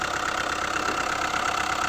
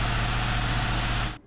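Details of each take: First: Hyundai i20 diesel idling, with its connecting rod bearings already replaced and the noise still there: a hard, uneven knock about three times a second and a lumpy beat, a misfire traced to a burnt valve. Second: Hyundai i20 diesel after engine noise repair, connecting-rod bearings previously replaced and injectors cleaned: even, steady idle with loud intake hiss because air filter and intercooler pipes are off; no knocks or misses.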